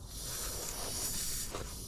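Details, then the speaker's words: Truck air system at pressure, leak up by the engine: steady even hiss from a push-to-connect air line fitting; pulling on the line stops it completely, so it likely needs reconnecting once pressure is released. "a lot of times you can just play with the connections and they'll stop leaking this one I might need to just take it out reconnect it"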